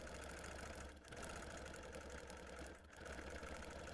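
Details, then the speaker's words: Longarm quilting machine appliquéing through multiple thicknesses of fabric and fusible: quick, steady needle patter with dull popping; tension fine and stitches forming well, normal stitching. "you can hear the machine kind of popping because it is going through multiple thicknesses of not only fabric but also of the fusible."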